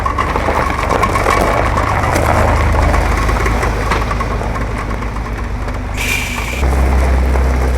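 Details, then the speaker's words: 1961 Chevrolet Corvair Lakewood, noise worsening on the road, at first thought to be lifters: heavy uneven low knocking about three per second over rough idle; owner suspects a spun main bearing letting a rod loose; rod knock. "we think I spun a main bearing so it was a crankshaft spinning in the engine but it's just it's hitting everything that it shouldn't be"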